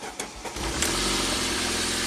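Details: '93 Saab 9000 CSE Turbo that sat since spring, now with a spare replacement ECM fitted; a few cranking pulses, then it catches and settles into a steady, even idle; normal start, though an intermittent no-start was reported.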